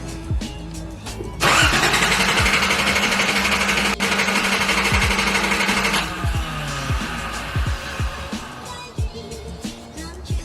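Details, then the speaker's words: Nissan 280ZX cranking steadily for about five seconds without firing, a crank no-start in rain and hail after a mass air flow sensor replacement failed to fix it; fuel pump already replaced twice, owner considers low fuel pressure. "all right so uh as you guys would have saw from that last clip the mass air fuel sensor replacement did not work either"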